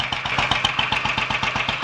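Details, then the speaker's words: Royal Enfield 500 Bullet just after its first start following top-end tuning (ported head, new guides, high-compression piston, retarded inlet cam timing), warming up: an even thumping beat with no knocks or misses; a healthy idle. "which sounds quite happy new life that I'll run it for a little while get it warmed up"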